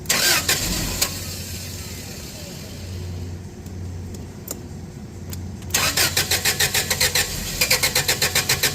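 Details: Toyota 8FGU25 propane forklift, first start after oil pressure switch replacement: cranks in quick even strokes, catches briefly, fades and cranks again; fuel starvation because the gasoline/propane selector was likely bumped off propane during the repair.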